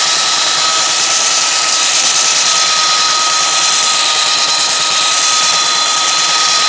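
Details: Restored roughly 65-year-old all-metal Craftsman belt sander hand-held as a bench sander; steady high whirring, constant fine tone and scratchy sanding grind, smooth and even. Running healthy under load.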